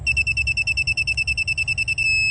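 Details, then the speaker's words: Elsema MC double swing gate motor controller, new replacement board, first power-up on its 24 V supply with motors 1 and 2 wired in: about sixteen quick high beeps over two seconds then one held tone; transformer working, normal power-up. "let's fire it up see what happens all right we've got power so that Transformer is working"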